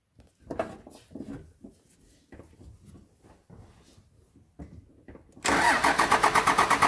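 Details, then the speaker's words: 1999 Cummins diesel on a frigid winter day, just fitted with a new Thoroughbred Diesel injection pump; steady rapid cranking, about three even beats a second, never catching, with air in the injector lines as they are cracked to bleed. "ah right go ahead and break a couple of these injector lines loose so she can spray if she needs to get a little air out of there"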